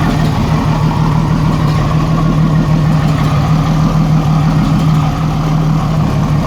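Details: 1987 Jeep Cherokee 4.0 Renix rough idle with a stumbling, uneven beat and periodic misfire. Cylinder 6 exhaust rocker was moving less, from a sticking valve or bad lifter. Loosening that rocker bolt made it run smooth, leaving a slight tick.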